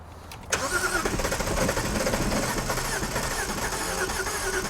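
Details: Written-off non-runner BMW 330i, first start on a jump pack, with poor compression suspected during cranking: catches and settles into an uneven, lumpy idle. Rough running after start; cause suspected, not confirmed.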